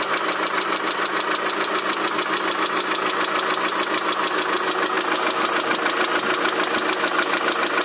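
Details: Daewoo Nexia 16-valve at idle: steady, even ticking knock a little over two per second, present both cold and hot; engine knock of unknown origin.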